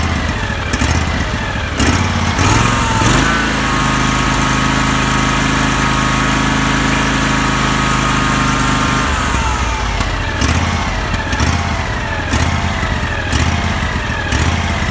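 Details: Husqvarna YTH18K46 riding mower, small single-cylinder engine idling unevenly, speed dipping and recovering about once a second instead of holding steady: rough, hunting idle.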